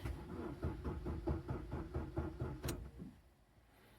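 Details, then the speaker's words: 2008 Suzuki Swift 1.3 DDiS diesel with extended cranking issue (P0683 glow plug control module communication): cranks slowly and laboriously for about three seconds without starting because the battery is very weak. "What if I go to crank it? The battery is a bit weak at the minute."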